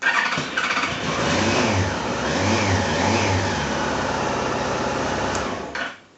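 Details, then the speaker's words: Yamaha Fazer 1000 motorcycle after removing faulty Meta M357T-V2 alarm and bridging loom wire pairs: starter whirs briefly, engine catches and settles into steady even idle; starts normally. "You can see it starts up the normal fashion. Press the starter button."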